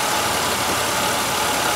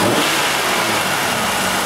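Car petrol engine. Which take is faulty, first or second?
second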